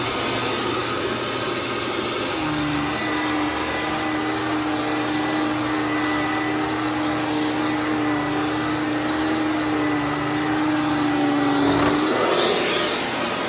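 Steady motor hum holding one clean pitch, with no grinding or rattle; the brush roll spins freely and the vacuum runs normally.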